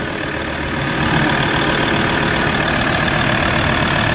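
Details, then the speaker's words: Ford Ranger 3.2 diesel idling after an XADO engine treatment for low power and vibration: a steady, even, fairly quiet clatter, and the vibration has lessened. The idle is smooth. "So ayan makita niyo ah wala na siyang vibrate. So nalessen yung vibrate guys."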